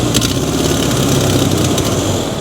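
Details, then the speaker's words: 1996 Mazda B2300 / Ford Ranger pickup, after long parking: with the number one (front) cylinder's plug wire reconnected there is no change, engine runs loud, lumpy and uneven, stumbling as if to stall; front cylinder dead from low compression. "if we plug in the plug on number one we still have no change you hear that there's no audible engine tone with these spark plugs connected"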